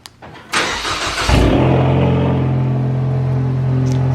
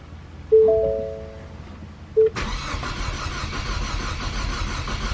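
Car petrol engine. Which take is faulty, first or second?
second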